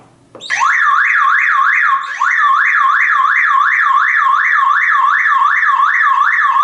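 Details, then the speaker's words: Car alarm siren sounds as soon as the car battery cable is disconnected, a loud rising-and-falling wail of about three sweeps a second; the backup siren is doing its anti-theft job when the battery is removed. "I like to like replace this car's battery this alarm makes right away this this sound"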